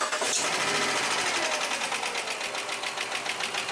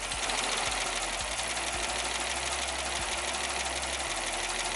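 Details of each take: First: 2006 Jeep Commander 5.7 Hemi at idle and a slight rev; a fast, crisp ticking of three or four clicks a second from the top end, not the bottom end. Lifter tick, the lifters are to be replaced. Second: 2006 Jeep Commander 5.7 Hemi V8 after lifter replacement, idling: steady idle with only a light, fast, even injector tick, no lifter tap, shaking, rough idle or misfire, and the check engine light is off.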